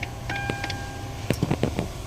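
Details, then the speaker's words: Hyundai Tucson, ignition switched on: about five quick, light knocks from under the dashboard each time the key is turned on, from a failing blend door actuator in the air-conditioning system. "So pag nag-o-on pa lang meron na siya. Patayin natin ulit. Tapos on natin yan. Ayon. Parang kumakatok yan. Yan knocking sound."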